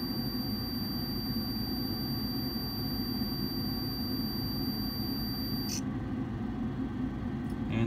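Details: Furnace inducer blower running during pressure switch vacuum testing through needle valve and tee; low heat switch 0.3, high heat switch 0.78 in water column; steady low hum, multimeter continuity tone stops as switch drops out, no rattles; normal inducer operation.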